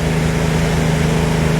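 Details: Nissan B14 petrol engine after fixing an injector that wasn't firing and the rough idle: steady low hum, smooth even pulse, no skipped beats; no more misfire.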